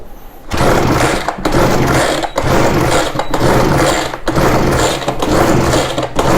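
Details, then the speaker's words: Ryobi BR42 backpack blower, sat one to two years, fuel lines reversed, pushing fuel back through the filter. Engine catches and revs in short bursts about once a second, then sags and cuts out. Fuel starvation from swapped lines. "i think i might have had those on backwards meaning i was pushing water back through the filter i'm sorry not water fuel back through the filter instead of sucking it up through the filter"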